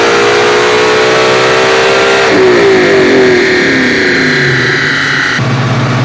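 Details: 2001 New Edge Mustang, originally V6 with manual transmission, now with a Coyote Aluminator crate V8 and Cobra Jet intake, on the dyno: howls cleanly through a high-rev pull toward about 8,000 rpm, then drops off smoothly, no misfire; healthy engine.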